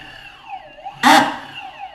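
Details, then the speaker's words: Boosted electric skateboard braking downhill: motor whine sweeps up and down, then a harsh rattling burst on braking as the loose drive belt skips teeth on the motor pulley; motor likely fine, needs belt maintenance. "did you hear that pretty ugly and when coming down the hill using the brake it was making that noise"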